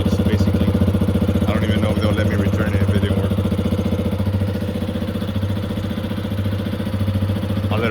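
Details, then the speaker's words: 2021 Yamaha XT250, 252 miles, long-stored; after fuel system work, warm-up idle with even thumping at about three and a half beats a second, no misses or stumbles; runs good, normal idle. "this thing runs good take it up test drive together"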